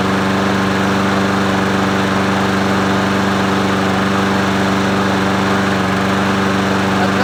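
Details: Murray 22-inch push mower 22526x92a with the muffler cleaned, primed three times: a steady, even single-cylinder drone at about 3.5 firing beats per second with no knocks or misses, running healthy.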